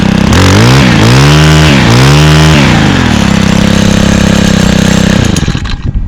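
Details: 2011 Stihl FS45 trimmer, 27cc two-stroke (same engine as FS38/46/55), started on second pull after priming; revved, small two-stroke snaps up and down through clean blips then settles to a crisp steady rasp, sounding like an ATV; normal healthy revving.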